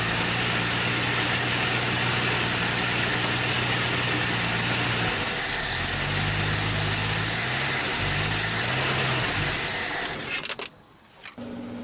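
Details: 1961 Dodge Lancer, Chrysler 225 straight-six, first start in 30 years: runs fast and steady with even hum, drops to smoother lower idle, then shuts off; running good.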